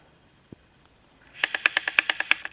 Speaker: so sometimes it sounds like it's getting stuck but it's actually reading the track fine so if you've got any idea what that sound could be let me know in the comments please